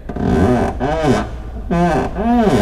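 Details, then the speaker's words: 2009-2018 fourth-gen RAM truck door: long groaning squeaks rising and falling in pitch with each swing, four in a row; caused by the unlubricated hinge check roller post, fixed by lubricating it. "sounds lovely doesn't it again sounds like somebody ate too many burritos but the noise we get"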